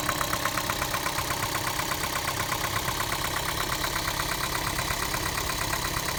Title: Prius 2 engine knocking noise